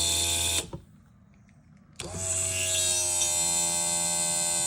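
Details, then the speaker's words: Audi TT mk1 roadster, failed comfort module bypassed with a relay to power the convertible top: hydraulic pump whine cuts out, restarts and settles to an even drone; rams now move up and down, fluid slightly low. "mes vérins montent et descendent ce qui n'était pas le cas tout à l'heure."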